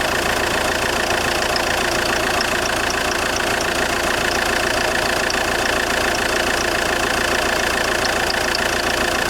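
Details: JTD 105 diesel idling cold: a faint, irregular high creak or tick about three to four times a second, a weird creaking noise heard when the engine is cold.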